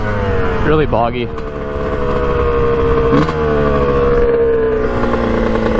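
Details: 1989 Kawasaki KX125 two-stroke, pilot jet cleaned earlier, first ride after warm-up: revs up then breaks up and thuds boom-boom at top end instead of pulling cleanly; owner thinks really lean, will check power valves; cause unconfirmed.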